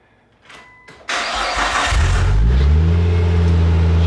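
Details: Nissan R34 after replacing the coil pack with an OEM part to cure a misfire: quick crank, catches at once and settles to a steady, even idle with no stumble; engine runs clean.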